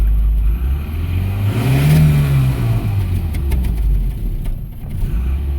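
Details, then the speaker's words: 1986 Toyota two-wheel-drive turbo EFI truck, first firing after sitting a while: revs rise and fall unsteadily, running rough under light throttle, fitting a vacuum leak with some valve tick. "Yeah, see, yeah, I know it'd be a little rough first firing, not having been fired in a little bit. As you can hear, it's running a little rough."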